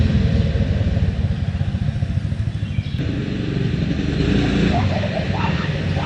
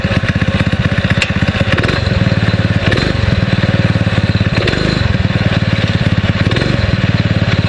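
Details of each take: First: 6.5 hp Predator clone single-cylinder on a springer bike, after carb rejet and reassembly: loud, fast thumping idle, a bit choppy but picking up cleanly on throttle. Owner impressed; apparent missing thought to be just the exhaust note. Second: 6.5 hp Predator clone single-cylinder on a springer bike, new 90 main jet with original emulsion tube: steady, even thump at fast idle, no misses. Runs much smoother but lost top-end zip at wide open; owner suspects idle jet needs enlarging.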